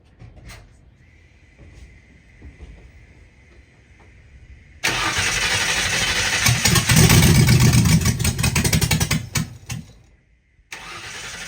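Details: 1960 Ford F100 shop truck, first start in years, carburetted, open header; starter churns steadily about six seconds and never fires after earlier header fireballs; owner suspects stuck float, jets later found clogged; fuel starvation.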